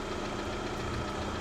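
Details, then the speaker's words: Lada Vesta warming toward operating temperature at idle after oil pickup O-ring replacement: small steady knock under the engine note; owner suspects pistons, source uncertain. "И когда, видимо, прокачался, машина прогрелась, а он пропал и остался просто постоянный стук небольшой. Вот это, видимо, и есть эти поршня."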